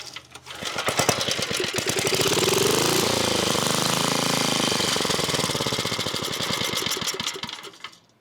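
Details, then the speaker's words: 1980s Onan (C80) generator: old engine catches and chugs unevenly, surging and faltering, then dies; owner suspects fuel starvation since spark is good and it keeps running on starting fluid, diaphragm examined. "What I think is going on here is that we aren't getting enough fuel, because I can kind of get it, well, not kind of, I can get it to keep running on starting fluid."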